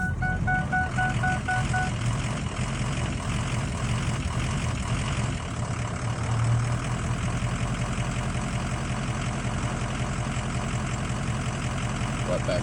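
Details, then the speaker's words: 2004 Ford F250 6.0 diesel, first start in morning, not warmed up: uneven lumpy idle with unsteady rumble after light throttle blip; rough cold idle, cause unknown, improves when warm. "so this is first in the morning you can tell it's not warmed up yet I if you can hear it"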